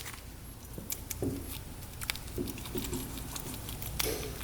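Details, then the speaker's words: Carburetor float from a 1975 Suzuki GT750 two-stroke triple that sat over 40 years, shaken by hand. It gives a soft liquid slosh because fuel leaked in through a pinhole, which explains why the carb was overflowing. "Yep. Listen to that. Shoot. There's gas in the float."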